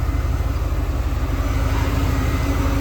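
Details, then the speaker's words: 1993 Ford F-150 with swapped 351 Windsor V8, idling after the ignition timing was reset to zero; low rumble running smoother than before, but with a slightly uneven beat and occasional soft stumble: slight misfire at idle. "I think timing was a serious issue. Um, but uh still sounds like it's missing maybe slightly, but it definitely sounds smoother."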